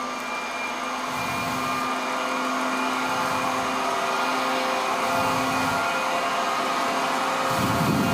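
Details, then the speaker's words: SAQ Grimeton 1924 Alexanderson alternator VLF transmitter, main drive motor revving up rapidly on increased 500 V generator voltage toward about 700 rpm before the speed regulator is switched on; smooth, steady electric hum rising as it gathers speed, no knocks or rubbing; normal run-up. "So you can hear that the motor uh revs up. It's uh rapidly increasing the RPM now and we need to have a RPM of around 700 revolutions per minute"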